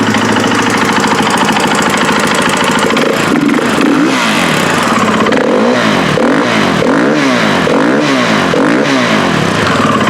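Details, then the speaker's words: KTM 450 XC-W dirt bike, rebuilt top end, pressurizing the cooling system (head gasket leak): single-cylinder catches and revs in rising-falling blips with an uneven rough edge, some smoke, possibly running rich; weird noise cause unclear. "But he also says it's making some weird noises, so we're going to fire it up and see what it sounds like."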